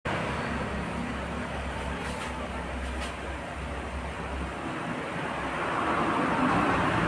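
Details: Honda Dio scooter misfiring: small engine runs with an uneven, stumbling beat, missing beats here and there, heard over street traffic noise.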